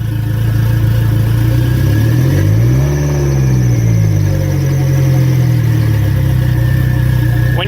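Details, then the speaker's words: Turbo Mitsubishi 4G63, cam gear timing reset 3 degrees: steady low idle with a brief dip and recovery, otherwise even; much smoother than before, throttle hesitation reduced; normal idle. "well that is way better that's pretty [ __ ] smooth what's that idling at that's way smoother that's for sure"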